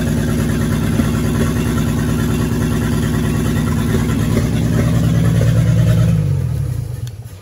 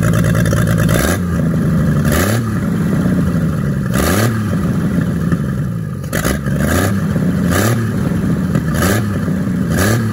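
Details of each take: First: 1942 Chevrolet G506 old inline-six, first run after revival: fast steady even idle, no knocking, then shuts off; won't idle without choke, idle can't be lowered, mixture screw adjustment made no difference. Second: 1942 Chevrolet G506 truck engine, first run after revival on a 12-volt battery with the distributor adjusted. It is on the choke with an idle that can't be lowered. Repeated throttle blips rise and fall cleanly with no knock or rattle. Sounds good and healthy.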